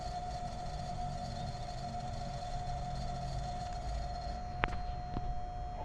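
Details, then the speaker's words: Panasonic small refrigerator, compressor run on its own via test cable, microphone at the back; steady hum with a rough mechanical drone and sharp knocks, current higher than it should be, compressor overheating and abnormally noisy, worn. "Outra coisa também que a gente conseguiu perceber é que o barulho do motor compressor tá totalmente diferente, certo? Barulho totalmente é fora do anormal."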